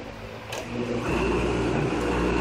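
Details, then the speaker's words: Rebuilt autochlor motor test-run after reassembly to check the impeller: it spins up to a steady hum with a faint high whine and some table-vibration rattle, no grinding or knocking; runs smooth. "Okay, now you gotta test if the impeller sounds good. Sounds smooth."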